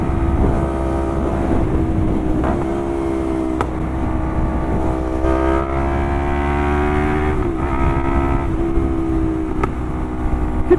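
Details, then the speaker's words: Lexmoto LXR380 single with a full Lextek exhaust and ECU, baffle out, and a stock intake. It runs loud and steady with sharp cracks of exhaust backfire every few seconds. The owner thinks it runs a little rich and that opening up the airbox might help. "you hear it backfiring? I think it's a little rich. It could probably do with the airbox being opened up a little bit to counter that."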